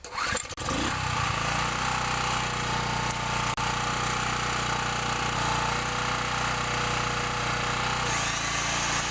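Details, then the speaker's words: Small portable generator test run after replacing the starter rope, already started once: a couple of pulls, catches within a second and holds a steady, even buzzing run with no surging; normal running. "so I'm just going to give this little generator a test run I've already had it started so it should start right"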